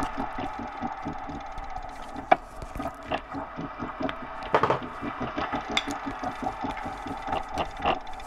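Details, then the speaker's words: Elite Direto XR trainer: loud regular creaking clicks about three per second with each turn; owner suspects parts loosening over time cause the creak, not confirmed. "so that's the sound and it's uh pretty loud there we go so it's off it's pretty snug in there but I think what's happening is there's some loosening over time and it causes that creaking noise"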